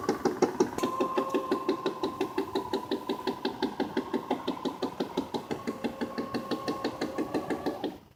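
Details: Tailgater portable satellite antenna failing to lock onto satellites: steady motor whine with hard, regular knocks about three a second, stopping abruptly; the azimuth potentiometer had jumped its limit switch, and the azimuth motor and its screws were loose.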